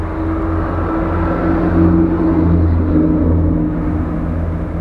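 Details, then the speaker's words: Jeep JK with LS/LT L96 6.2 swap and ECM-controlled Camaro SS electric fan, AC just switched on, about 50°F: fan spinning up, commanded about 50%, actual 30%; steady low hum and soft whoosh, normal operation. "now fan the fan speed will will start to spin up its desiring about 50% and this is actual speed at 30%"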